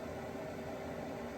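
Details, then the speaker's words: Cabin heater in a shuttle bus conversion. After lighting, a steady, even roar with a smooth fan hum and no surging or popping. It burns cleanly and runs normally. "yeah sounds like it's firing up just fine there's one tick off the list"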